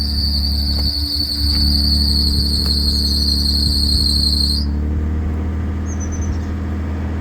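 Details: 1984 Toyota Celica Supra, 98k miles, cold start after about 2 weeks unstarted. High steady shrill squeal over low even idle rumble, cutting off after four seconds; worn drive belt the owner needs to change.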